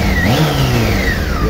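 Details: 2007 Honda Hornet 600 four-cylinder after throttle body synchronization and fixing a leaking vacuum hose on cylinder 1 that caused misfiring and poor idle: revs up cleanly and smoothly, crisp even throttle response; healthy.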